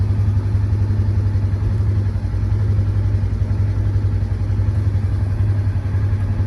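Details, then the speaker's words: Polaris Ranger 900 XP side-by-side, previously hard to start with a loud motor noise, after repair, warm: smooth even low beat about 220 pulses a minute, no misses or knocks; running great. "but yeah I think this thing's running great"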